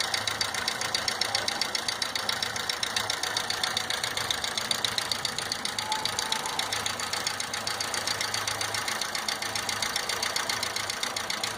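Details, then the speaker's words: 2012/13 VW Gol G5 1.0 8V EA111 petrol idling: a fast, even metallic ticking from the cylinder head, like collapsed hydraulic lifters, recorded before the lifters are replaced; cause suspected, not confirmed. "Galera, esse barulho aqui é como se fosse barulho de tucho batendo, tá? Quando o tucho descarrega, ele fica fazendo esse mesmo barulho nesse motor."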